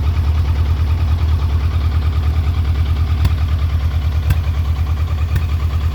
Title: Trophy 1200 rough idle